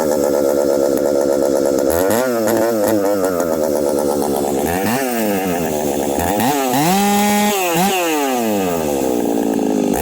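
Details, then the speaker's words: Husqvarna 371xp chainsaw with pop-up piston, cutting hardwood: screams at full throttle, then revs hunt unevenly and won't return to idle; owner suspects dirt lodged in the previously filthy carburetor. "anyhow take a listen to this saw runs great and then it doesn't oh"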